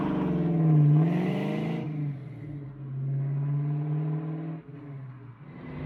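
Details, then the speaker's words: 1966 Mustang with 4.6L Ford modular V8 swap, first start with new 2.5-inch straight-pipe exhaust: deep burble climbing smoothly through sharp revs (up to about 6000 rpm) and settling cleanly, no misfire or knock; coolant hose blew off. "all right i am so happy with how that sounds that sounds so great"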